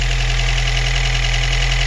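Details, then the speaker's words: Daewoo Lanos 1.5 first start after head gasket replacement: even, steady idle with smooth low hum, no stumble, misfire or knock; engine runs cleanly, though the alternator bearing was noted as slightly noisy. "якось так працює не троїть все чудово"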